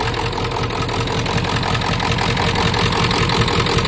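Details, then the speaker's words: 1995 Ford F350 7.3 Powerstroke turbo diesel, weak battery, ether-started, low coolant, suspected dead cylinders: heavy clatter with uneven, lumpy two-to-three-pulse idle; rough idle, cause not confirmed. "let's see if it'll idle here not the best"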